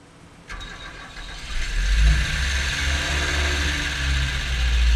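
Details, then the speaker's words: 1974 Ford Courier with Mazda OHC four-cylinder, before valve lash adjustment: it cranks, fires and idles with a light top-end clatter from excessive lash letting the rocker arms clack on the cam. "can hear there's quite a bit of noise coming from the top and that's the rocker arms clacking on the cam"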